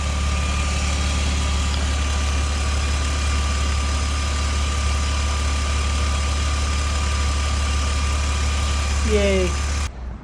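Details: 1997 BMW Z3 2.8L after fuel pump and fuel filter replacement; fuel pressure before was 20 psi, original pump suspected weak: smooth, even low rumble at a steady idle, no knocks, misses or hunting. Normal idle.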